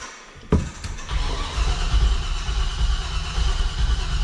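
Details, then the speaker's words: 1985 Chevrolet C30 dually, LS-swapped 6.0 V8, drive-by-cable: starter churns with rough uneven chuffing but never catches; flooded, fuel-soaked plugs after new fuel pressure regulator; new AC Delco plugs to be fitted. "Doesn't sound any better, does it? I think we should just try some new spark plugs."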